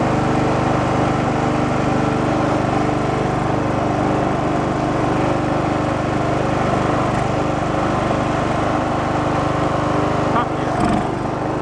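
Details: Abandoned Poulan Pro riding mower, revived after earlier idling but popping back and not revving as if rich: steady, even single-cylinder drone holding speed with deck cutting, no misfires or surging; pulling fine under mowing load.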